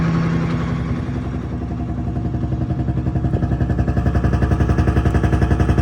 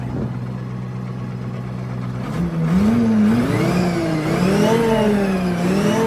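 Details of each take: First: FV432 APC running for the first time in 13 years, charging with RPM gauge working: lumpy, uneven diesel beat pulsing about four times a second, doesn't sound right; rough running from an injection pump element out of timing. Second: FV432 APC K60 diesel: settles into a smoother, more even beat as it revs up and holds, firing steady with no stumble; sound transformed, normal running.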